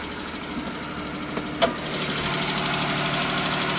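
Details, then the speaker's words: Chrysler 3.6 Pentastar with aftermarket aluminum oil cooler, cold first-thing-in-the-morning start: engine settles into idle with a light, quick tick over it, guessed on bank one; failed rocker arm. "This the one I checked out earlier with the ticky noise. Let's see if it do it now. It's first thing in the morning. Cold."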